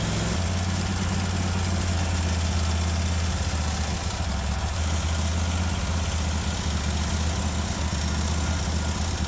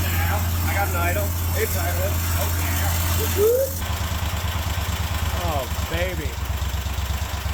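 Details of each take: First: Kohler 24 hp SV725 engine on a Cub Cadet 1050 Hydro with 52-inch deck, after carburetor work: it holds one fast, steady speed and never settles to idle. The governor won't let it down. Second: Kohler 24 hp SV725 engine on a Cub Cadet 1050 Hydro, after the carburetor idle circuit was cleared, started on choke: it runs an even, steady idle with a regular beat, a touch faster than desired but smooth. Normal idle.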